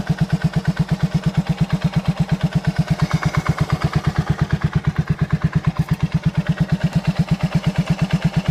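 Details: 2007 Suzuki Savage S40 single-cylinder at idle: sharp even knock on every beat, about three per second; possible engine knock, cause unclear.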